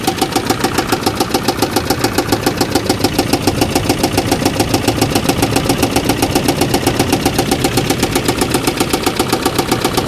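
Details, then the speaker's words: Rescue car engine running with hard evenly spaced tapping three or four times a second over rough note; owner smells coolant dumping out and suspects blown head gasket, teardown needed to confirm. "this thing oh I think we got a blown head gasket yeah cuz I smell coolant dumping out also all right not what I wanted to deal with"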